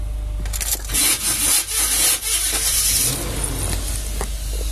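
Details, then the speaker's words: Vehicle after an engine transplant, with the starter replaced twice and shimmed various ways. Harsh metallic grinding and scraping while cranking, intermittent. Starter grinding on cranking, cause unclear. "if you have any ideas as to why my starter is making this horrendous noise and sometimes it's even more metally inclined please let me know thank you"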